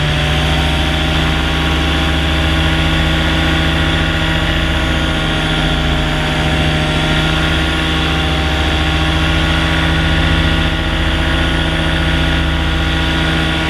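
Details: Used Blackhawk 125 paramotor during one of the owner's first three flights: loud, steady two-stroke drone holding an even pitch with no stumble here; the engine later quit in flight, with a carburetor or fuel delivery issue suspected.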